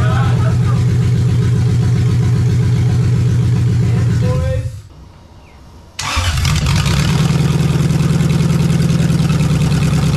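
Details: Lexus 1UZFE V8, barn find first run after 6 years standing, ATF in cylinders, out of the Jeep KJ: runs evenly, dies about a second, catches straight away and settles into a strong healthy idle.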